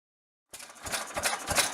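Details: 1922 Bentall Pioneer 3-4hp engine, built in Maldon, UK, running after a rebuild. Even, steady chuffing beats at about three per second with a light mechanical rattle and no knocks; runs healthy.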